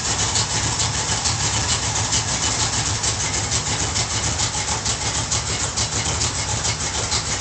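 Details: Ford Torino V8 after full tune-up, carburetor rebuild, gas tank flush and upgraded ignition: lumpy, loping beat about two pulses a second with strong, even exhaust note; runs great.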